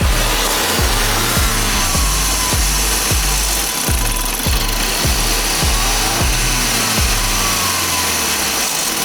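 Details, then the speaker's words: Land Rover P400e hybrid, 2.0 petrol Ingenium PT204 engine, revved and falling back: a regular clattering tick audible on the return over the drone, indicating a stretched timing chain; customer complained of rattling. "On the return, we can hear that rattling. That kind of gives an indication that the chain is stretchy."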